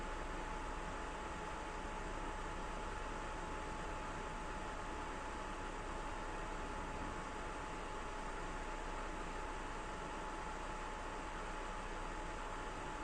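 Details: PS4 Pro first revision after replacing year-old MX-4 paste with Honeywell PTM7950 phase-change thermal pad: soft, steady airy hush, fan slightly ramping up but still very quiet, no rattles or whine.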